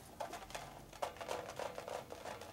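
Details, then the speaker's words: Rebuilt wheel of a 1942 Harley-Davidson WLC/WLA 45ci, tire mounted with a tube: irregular soft patter and rattle as the wheel turns from loose rubber balls inside the tire, which can wear through and hole the tube. "Rubber balls. That's not good. So that can eat up the tire inside and put a hole in it with a tube."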